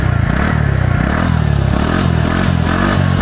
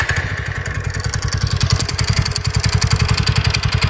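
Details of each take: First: TVS Ntorq scooter after replacing a loose bolt that caused a kat-kat noise, with a new bolt and lock: steady, even low putter at idle with no rattle or ticking; engine healthy. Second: TVS Ntorq scooter at idle: light metallic tick three to four times a second over the engine beat, from a fully loose bolt near the magneto coil; bolt to be replaced with a new one.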